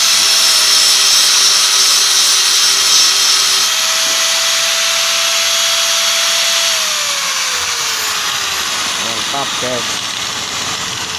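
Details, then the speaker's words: Hand angle grinder after a new rear bearing was installed: a smooth, high-pitched whir that winds down evenly with no rough rumble or grinding. It now runs smooth with more power. "jadi halus, tenaganya juga bertambah."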